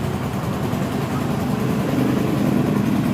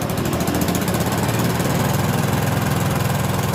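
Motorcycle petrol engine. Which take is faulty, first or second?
second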